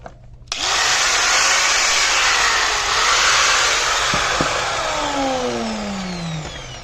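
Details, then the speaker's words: 4-inch angle grinder after carbon brush replacement: spins up sharply to a smooth, steady high whine with no crackle or sputter, then coasts down evenly; fault was only the carbon brushes, now running fine. "दोस्तों इसका सिर्फ carbon brush का मसला था, अभी ये बिल्कुल ठीक चल रहा है।"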